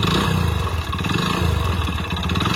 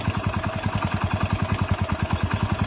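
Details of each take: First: Hero Splendor Plus single-cylinder motorcycle, odometer rolled past 100,000 and now about 60,000 more: rapid, hard clatter over the low thump at idle and blips; mechanic diagnoses a failed engine with connecting rod knock. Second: Splendor Plus single-cylinder after engine rebuild for connecting-rod knock: even, steady idle with only a light, fast valve tick and slightly loose timing chain, no deep knock; the earlier rod knock is gone, valves expected to settle.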